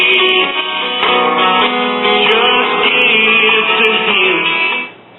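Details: 1939 GE tombstone tube radio after lubricating the still slightly stiff tuning condenser: AM station plays clean with music, no hum, crackle or fading, typical thin AM tone; working normally.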